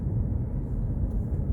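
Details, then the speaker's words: Mercedes-Benz E-Class W212 with panoramic sunroof, driven over bumps after the headliner was removed and rail-to-frame interference fixed with anti-noise work: only steady low road rumble, no creak, tick or knock from the roof; sunroof now quiet. "자 여기서도 아까 소리가 났었는데요 느닷없이 어네 안 나네요 그리고 저희 매장 올라갈 때도 허리가 났었어요 올라가 볼게요 깨끗합니다"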